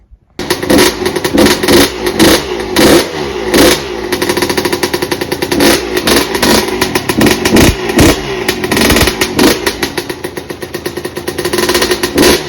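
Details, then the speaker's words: 2002 Yamaha YZ125 two-stroke after a bottom-end rebuild that fixed hard kicking and a bottom-end screech, running cold on a straight pipe with a muffler that probably needs packing: crackling, blipping, uneven bursts and a very low idle; the engine runs with no real issues. "yeah that's that's it running um the idle is really low but I'm not gonna really mess with that"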